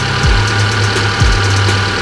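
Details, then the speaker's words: Fuel-injected car with ISC idle control (tagged Hyundai), coolant nearing 60°C while warming up: steady, even petrol idle hum with a settling low note, speed dropping toward normal as it heats; normal warm idle. "nah ini hampir mendekati 60 derajat RTM sudah mulai normal sedikit normal ya artinya sudah bagus"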